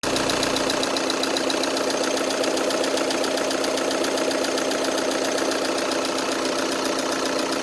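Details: 2012 Volkswagen Tiguan 2.0 TDI 140 hp diesel at idle: fast even ticking, about two or three beats a second, over a clattery diesel idle; the cause of the tick is unknown.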